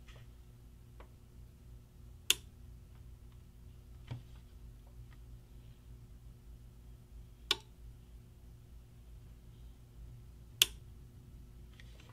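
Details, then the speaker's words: Bench power supply (CSI1802X) after fixing a shorted capacitor and fitting a capacitor and resistor across the noisy relay, voltage being adjusted: crisp, isolated relay clicks with no buzz or chatter; relay now switches normally. "as you can hear the relay is only turning on and off and it's just making those switches very solidly and you can't hear any kind of noise coming from the relay"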